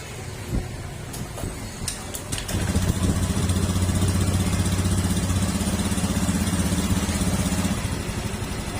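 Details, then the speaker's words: Honda Beat FI scooter idling after CVT repair of cricket-like noise from worn rollers and slider pieces, dirtied by leaking crankshaft oil seal still to be replaced; smooth even idle, no chirping, normal. "Yan, nawala na po yung ingay ng panggilid niya. Tumahimik na ulit siya."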